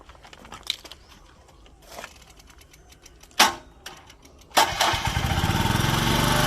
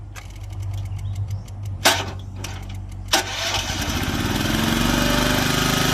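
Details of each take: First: Komatsu PC01 mini excavator, Honda engine, 1,116 hours, weak battery that doesn't hold charge: brief crank catches at once, then steady even run; starts easily, healthy. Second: Komatsu PC01 mini excavator, Honda engine, 1116 hours: sluggish, labored cranking over two tries, then catches and runs steady. The battery is usable but doesn't hold charge well.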